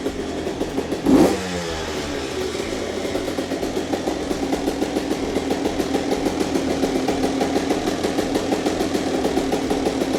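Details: Honda CR125 two-stroke, freshly rebuilt with Pro Circuit pipe, cold start: kicks and fires, then settles into an even, rapid ring-ding idle that revs up cleanly; normal idle and revving.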